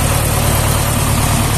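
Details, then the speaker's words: Tractor diesel at steady idle after reassembly and fix: coolant no longer rising in radiator, temperature OK, pressure 5.5; earlier coolant rose and bubbled after shutdown as compression leaked into cooling system. Even rumble, no knocks, healthy. "płyn chłodnicy nie rośnie temperaturę OKE"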